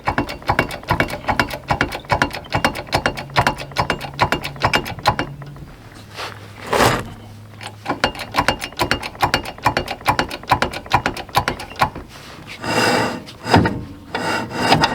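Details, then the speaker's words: RV wheel jacked up and spun by hand after a terrible noise arriving at the campground: rapid irregular ratcheting scrapes and clicks, loose parts rattling inside the drum; broken brake adjuster coming apart inside the drum brake. "Oh yeah, something was coming apart in there. Yeah, something's coming apart in the brake."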